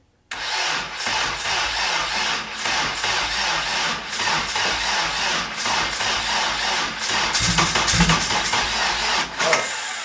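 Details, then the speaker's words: First start attempt, not in gear, with fuel and no leaks: the starter drags the engine round slowly and unevenly, under three turns a second, never firing; weak cranking was caused by no engine-to-chassis ground, later fixed with a ground strap to the transmission. "so I noticed why I was cranking so weak moving so fast um does not grounds on the car so I just put it round on to the transmission nice um there's no there was no grounds on the motor to the chassis"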